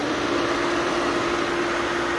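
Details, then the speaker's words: Pool filter pump running after start capacitor replacement on the waterfall motor; steady, even mid-pitched hum with no surging, knocking or grinding; runs normally. "Pull pump's running. Waterfall's running. That motor we were working on was for the waterfall."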